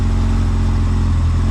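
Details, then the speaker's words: Honda CRX with freshly rebuilt zero-mile B20Z swap, first start, no cooling system fitted: smooth even idle just under 1000 rpm, steady low rumble, no knocks or misses; warming quickly, engine healthy. "the car is currently idling right under a th000 man we are looking good"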